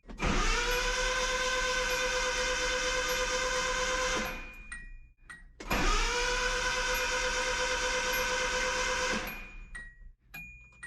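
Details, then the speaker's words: 1985 Nissan 720 rebuilt engine, cranked with spark plugs out and ignition disconnected to build oil pressure before first start: two steady four-second bursts of starter whine, even cranking, no firing. "we are going to crank the engine get the oil pressure built up and make sure all the oil is everywhere it needs to be before we you know fire and run"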